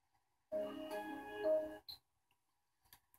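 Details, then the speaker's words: Samsung LN37A550 TV (A550 series) on startup: single chord chime, faint clicks, silence, red light flashing, no picture, restarting about every twenty seconds; boot cycling from main-board fault, suspected 47 uF tantalum capacitor or MP2363 step-down chip. "now it's going to attempt it again every time we hear that tone it's attempting another another triad locking on still no picture"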